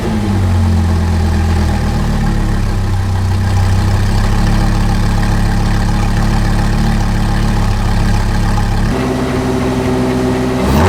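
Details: 2010 Audi R8 V10 with its rebuilt engine just reinstalled, idling on the lift while warming up to temperature, initial oil not yet changed: deep, loud, even V10 burble with a steady beat, no knocks or misses, brief rev near the end; runs healthy.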